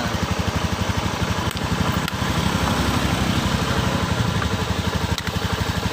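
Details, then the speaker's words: Honda Beat eSP PGM-FI scooter with water sprayed onto the spark plug cap: quick steady idle broken by sudden stumbles and crackles as the wet cap arcs, causing misfires and hard starting. "ya tuh ya kita semprot biar aku sih ternyata ada cenderung ada bunyi kretek-kretek the ia bahkan motor hidupnya susah tuh"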